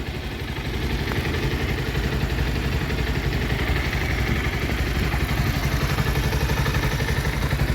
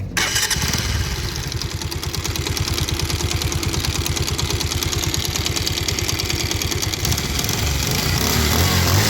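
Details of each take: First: Bajaj Pulsar 150 after clutch/scissor gear balancer repair: steady even low idle thump with no knocking or gear rattle; noise resolved. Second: Bajaj Pulsar 150 idling: rapid, uneven knocking from the clutch side. Cause is a worn body balancer scissor gear; the clutch plates are also worn and the engine bolts had loosened and fallen out. The balancer will be replaced.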